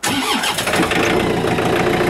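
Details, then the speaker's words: Diesel machine cold start at about minus 4, not plugged in, snow-covered: brief crank, catches straight away and settles into steady diesel clatter; clean healthy cold start, left to warm up. "oh that's not too bad at all all right well let it warm up a minute or two"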